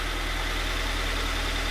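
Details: Freshly installed Megan Racing headers on a 2020 Toyota 86 with a stock mid pipe, probably still with the main cat and resonator: a steady, even, very quiet idle with a smooth low thrum and no exhaust-joint ticking or puffing, though one header bolt isn't fully tightened.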